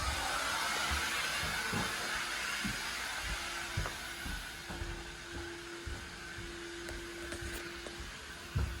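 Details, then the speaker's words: Central vacuum unit, wall-mounted on a crooked bracket, tested after vacuuming the whole house: loud, steady rushing roar with a hum and faint rattle, two different pitches heard upstairs; motor sounds bad. "oh that motor does not sound very good"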